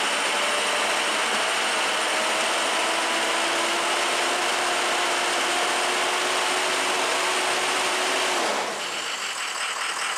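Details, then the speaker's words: Diesel truck engine after piston replacement and rebuild with O-ringed heads and ARP studs, first start: uneven, hunting clatter for about eight seconds before cutting out. Runs rough, probably air in the fuel and oil systems. "it's running a little rough uh but as you can tell it's hard up probably just a little air in the fuel system and the oil system"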